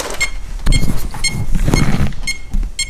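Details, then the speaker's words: Holmes Hobbies-powered Axial Wraith RC crawler after a hard hit: short high beeps about twice a second, no throttle, ESC flashing green, orange and red; no-signal warning, a receiver lead turned out unplugged. "that's what it does you've got certain low power we do not have any form of throttle now it sounds like something's just not plugged in"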